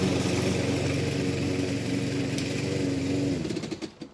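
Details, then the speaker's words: Lawn mower salvaged from a scrap pile, run as found without preparation; smooth, even putter at steady speed with no misses or knocks, then winds down and stops; engine runs really smoothly. "i said the engine ran really smoothly absolutely brilliant"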